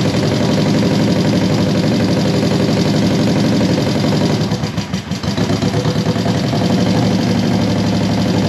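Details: 1973 Honda CB350G twin on new Mikuni VM28 carbs: steady fast idle that dips briefly and recovers; basically sound, needs a little tweaking, owner thinks not enough fuel was coming through at first.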